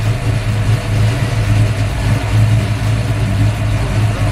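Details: Built V8 (MSD ignition, Comp Cams, Brodix heads, stainless headers) after start-up: deep steady lumpy idle, firm low rumble, even pulses, no knocks or misses; healthy idle.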